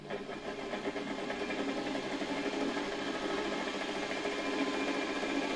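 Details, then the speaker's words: Known-good type 300 vacuum motor run briefly on a 24 V transformer for comparison. Steady even high-speed hum with smooth mid-pitched whir, no knocks or rubbing; spins quickly, seemingly comparable to the other motor. Normal motor run. "No i w sumie tak no jak teraz on tutaj pracuje to też całkiem sprawnie całkiem szybko się obraca w zasadzie chyba porównywalnie z tym silnikiem"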